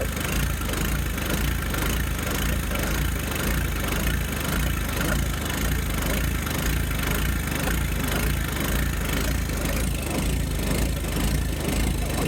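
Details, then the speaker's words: John Deere 1025R turbo diesel tractor, cold start at 40°F in Arkansas; chugging uneven lope rising and falling about once a second; owner says it stops when warm; smooths out warming up. "It won't do that whenever it warms up. Didn't know it would look like that. That sounds cool."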